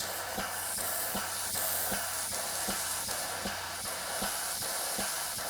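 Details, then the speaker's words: 3D-printed PLA nozzle waterjet test, air-driven pump at about 40 psi air; sharp regular kicks two or three a second over steady air hiss, pump cycling fast but barely loading, not adding much to the stream. "I'm feeling it kick so I feel it kick so it's doing a kick kick kick kick kick kick kick kick kick so it's trying it's just it's not adding much"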